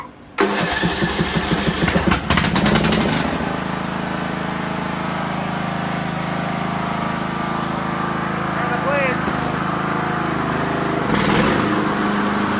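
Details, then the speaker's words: Craftsman LT2000 riding mower, not started for about a week and a half: catches after a brief crank and settles into a smooth, even run with no grinding or other noises. Seems to have little time on it. "Well, that sounds awesome. No grinding, no noises. I really don't think there's a lot of time on this mower."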